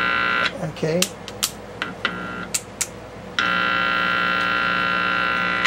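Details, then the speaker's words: 1955 GE 14T007 television under repair, faint audio with suspected weak tuner tube or dead IF section: loud mains buzz with a few clicks then steady, touching volume control center conductor; audio output stage working. "means it's capable of producing sound if you had a decent signal so i still think we've got a weak either a weak tuner tube"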